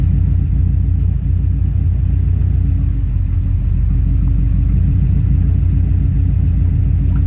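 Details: 2003 Subaru WRX EJ207 with AEM fuel pump, code P1230, jerking and bucking: deep uneven lumpy idle rumble never smoothing out; rough idle, owner unsure whether fuel pump, control module or electrical issue.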